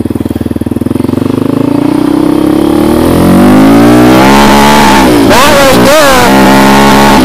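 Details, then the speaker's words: Yamaha Raptor 700 ridden on the street in third or fourth gear; revs climb, then cut out twice around three-quarter throttle like an early rev limiter, clutch switch being tested as the suspected cause. "it would get to maybe three quarters throttle and it would start going like kind of cutting out as if it was on a rev limit"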